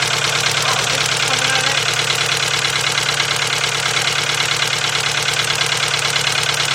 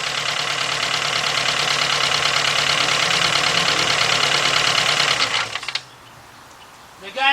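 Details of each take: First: VW 2.0 engine running rough after a fuel pump change: idle with a regular stumble about three a second; cylinder 1 misfire, not caused by the plug wire. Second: 2.0 Volkswagen with a misfire, engine running: sharp, even ticking about three times a second heard through a two-foot extension on the injector body, then it cuts off; the injector is working normally.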